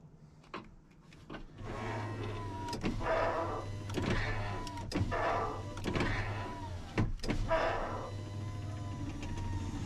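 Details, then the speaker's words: 2000 Ford F250 Super Duty 7.3 diesel power window, after the track was greased: the motor hums smoothly through repeated up and down travel with clean stops and no grinding or binding. Normal operation. "yeah I would say that's a great window right there"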